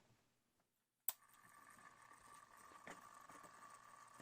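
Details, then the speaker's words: Faint steady high buzz with thin whine, no ticking, from the sealed epoxied synchronous motor of a roughly 50-year-old AC-powered Timex wall clock that runs slow; motor has gone noisy, likely unsavable. "that little that little motor in there it's just gotten noisy and so there's probably nothing I can do to save it"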